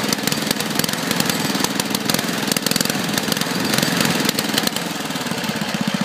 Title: Tecumseh engine misfire